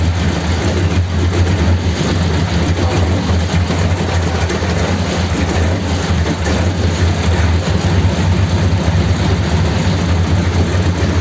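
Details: 1932 Ford sedan after replacing fuel pipes and topping up low oil, started to check for leaks: steady low rumble of old petrol engine idling evenly, no knocks, misses or squeals; normal idle.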